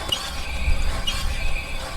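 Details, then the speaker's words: VW Golf GTE, rear discs about three years old: a thin scraping squeal pulses about once a second with wheel rotation over road rumble; warped, not straight rear disc rubbing the pad, fixed by replacing rear discs and pads. "what you hear when you're driving so clearly there's something wrong with this it's not straight um and that's why it's making that noise"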